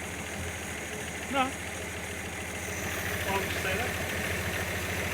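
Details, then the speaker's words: Engine first run after head gasket, reconditioned head, water pump and hoses replacement; uneven, lumpy idle with irregular beat and stumbles; vacuum leak suspected, also fuel found where it shouldn't be, cause not confirmed; rough idle. "running a bit rough oh why is that"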